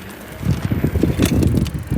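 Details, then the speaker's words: E-bike under throttle: irregular low clunks in bursts as the cranks turn, from the bottom pedal-crank area; chain slipping, owner suspects chain too slack and needing links removed, not confirmed. "So, I'm on the throttle here on my finger. And then it goes clunk. So, it's clunk clunk clunk clunk clunk."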